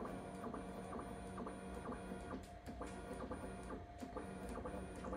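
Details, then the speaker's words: Bambu Lab P1S after dry lube on the Z-axis belt pulleys and belt, bed moved halfway down and back up: soft, even motor whir and light ticking, with no squeak where it previously squeaked loudly. Z-axis normal. "and I'm only going to go like halfway down and then back up cuz I wasn't getting it when I was bottoming out I would get it basically on these next two steps like really loudly but now I have nothing"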